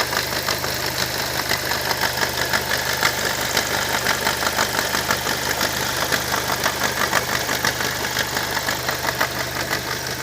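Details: Opel Vectra C Z20NET engine running: rough, pulsing knock about twice a second over the idle; an odd noise whose source is unclear.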